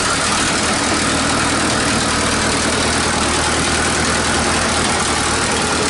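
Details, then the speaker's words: 1947 Nuffield grader revived after 20 years parked: loud steady idle with sharp raspy hiss and chuff over the exhaust note; exhaust leaks need fixing, engine also runs hot. "she needs a good gone over fix the exhaust Leaks get a bit of cooling in it so she doesn't get so hot when she turns off"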